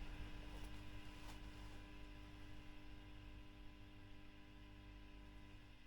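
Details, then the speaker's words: Fender Bassman '59 reissue (2008, 4x10) during service, after swapping the V1 preamp tube for a Mullard: low steady hum with faint buzz from nearby lights, dropping much quieter when screened by hand. "Now that noise is the lights and that's suddenly gone much quieter."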